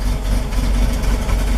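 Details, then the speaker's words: 1973 Toyota Land Cruiser FJ40 cold start with manual choke pulled fully out after two pedal pumps: petrol engine idles low and uneven, sputtering and stumbling until the choke is pushed in to smooth it. "so with it idling with the choke fully out um oh I got to turn the switch on you can hear how it's sputtering on"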